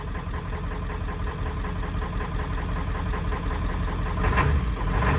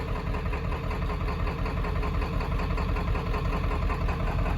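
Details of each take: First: 1995 Ford F350 7.3 Powerstroke diesel, running after 10 years sitting, glow plugs possibly not working: uneven, lumpy, knocky clatter at idle, a beat or two a second out of step, clean when revved; rough idle, owner suspects injectors, unconfirmed. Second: 7.3 Powerstroke diesel running after sitting 10 years, fresh oil, oil filter and fuel filter; a little shaky with a slight miss at idle (injectors suspected), but sounds good and healthy when brought up in revs.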